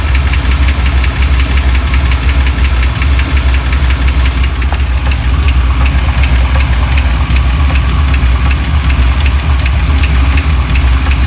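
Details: 1987 Chevy C10 V8, just revived after sitting, idles with a deep rumble and an odd light quick tick that changes pace midway; cause unknown.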